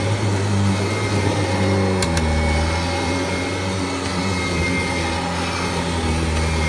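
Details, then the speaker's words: 1994 Kirby Generation 4 80th Anniversary Edition upright vacuum, first run after about one to two years unused: even motor drone with slight pitch drop then steady hum; not locked up, runs fine, belt may need replacing. "Might need to replace the belt. Other than that, it feels good. Not locked up, nothing."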